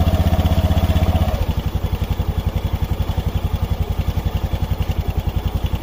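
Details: Honda Beat FI scooter after replacing the slide pieces to cure CVT noise when decelerating: a brief higher rev, then a steady, even putter at idle with no rattle or slap from the drive side. The CVT is running normally.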